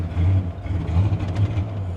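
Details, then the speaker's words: 1984 Monte Carlo SS barn find after fuel work and injector cleaning: low throbbing note keeps sagging and picking back up unevenly, running worse than before; stumbling, owner suspects air or fuel starvation, unconfirmed. "Wow, that's aggravating. You hear it? It's like it's starving for air now, or fuel, which doesn't make a whole lot of sense."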